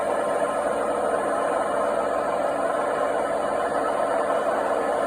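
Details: Washing machine drum spinning: constant heavy rumbling drone with rough, gritty edge and no let-up; worn drum bearings.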